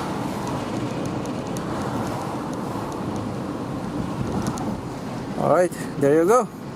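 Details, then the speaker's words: 2008 Honda CR-V test drive after rear brake pad replacement, mic at rear: steady road and tyre hum, no grinding while braking; grinding was caused by very worn rear pads, now fixed. "there's no more it's already fixed so that's how you diagnose and fix a car with a grinding sound every time you brake"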